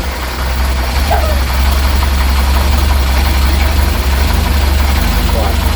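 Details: Reliant Supervan 3 engine on a fresh start after the head was re-torqued and coolant hoses redone: deep, even idle thrum with no knocks or misses, steady rhythm; runs smoothly.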